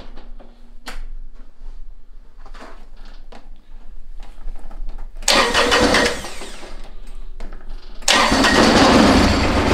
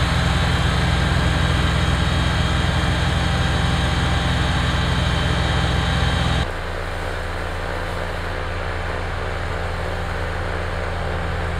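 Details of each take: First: Kubota BX diesel tractor on a very cold morning: engine sputters and dies, then cranks and catches but won't hold idle; no fuel reaching injector pump line; owner suspects gelled or iced fuel. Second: Kubota BX diesel tractor after fixing cold-weather fuel starvation (suspected gelled fuel): deep, even diesel thrum steady under load, then settling lower with no misses or knocks; running normally.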